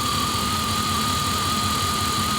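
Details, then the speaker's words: Engine idling near operating temperature after new radiator, with water pump back on and reused bypass hose: steady even idle with faint high whine, no knocks or misses; running a whole lot smoother, heater output still not warm. "Thing sounds a lot smoother. Whole lot smoother. We got it running now."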